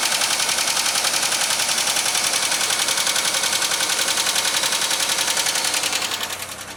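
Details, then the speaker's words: 2003 Pontiac Grand Am GT at idle, oil overfilled and contaminated with antifreeze and possibly water: fast, crisp, regular top-end ticking about 3.5 per second; owner suspects a noisy lifter from diluted oil and hopes an oil change reduces it. "So that's what she does. And hopefully, if we get new oil in that noise will change or go away somewhat."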